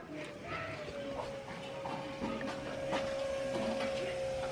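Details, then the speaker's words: LS-swapped Camaro on a base tune, first start attempt: fuel pump whines steadily for several seconds at key-on, no leaks heard; normal fuel pump priming. "right pumps working still not hearing any leaks let's see if it cranks it over I'm nervous"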